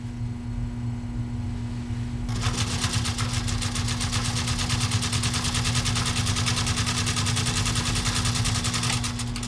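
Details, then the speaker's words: 1942 Singer 201-2 sewing machine stitching 3 layers of 14–16 oz vegetable tan leather, over 5 mm thick. After a slow, quiet start it settles into a fast, steady stitching chatter over an even hum: normal under heavy load. "My start was slow, but once we got into that leather and started that machine rolling, you could hear it. It was just plugging through it."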